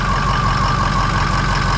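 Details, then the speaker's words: Diesel vehicle that had been sitting, just jump-started cold with a Loki Thor J3250 pack on a weak battery, lights on: steady low clatter with faint whistle, idle low while glow plugs still on, expected to kick up. "now the idle will end up kicking up right now the glow plugs are still on so that's why we're only registering at the uh voltage that we got there"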